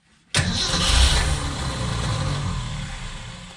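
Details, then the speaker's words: 1965 Ford Econoline van stored since 2011, carburettor primed with gas: engine catches, runs raggedly and fades within seconds after running the float bowl dry; no fuel coming through the filter from the pump, fuel starvation. "I ran off the bowl but there's no fuel coming through the filter"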